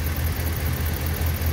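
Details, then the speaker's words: Ram 1500 5.7 Hemi, idle after oil change from 5W-20 to 5W-30 to cure cold-start Hemi tick: steady, low, even idle with no ticking; much quieter than before. "so I just change the oil and uh listen how quiet that is wow that's really quiet I can't believe it"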